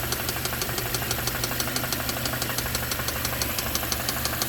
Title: Hyundai rod knock 💀😱💀